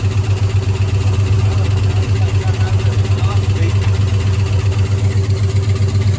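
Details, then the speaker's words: 1972 Ford F-100 Ranger XLT first start after sitting over 10 years: idle has a rhythmic stumble several times a second, a cylinder missing; owner suspects a stuck lifter, unconfirmed. "thank you sounds healthy it's missing sounds like maybe one of the lifters is stuck or something"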